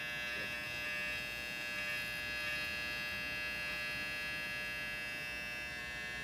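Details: Failed 8TB Seagate internal hard drive used as the boot drive: a constant harsh buzz like an electric razor, with no spin-up or seek clicks. It failed unexpectedly and the data was not recoverable.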